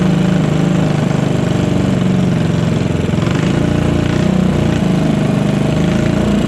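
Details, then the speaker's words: Modified Honda GX160 go-kart engine, first run after rebuild: fast, fairly even single-cylinder buzz with slight surges, revving freely well above the stock ~3500 rpm; healthy. "So it definitely woke it up some. You can definitely hear how high it'll rev now, which is pretty cool. So this thing revs way above whatever that 3500 or stock setting was with the old governor."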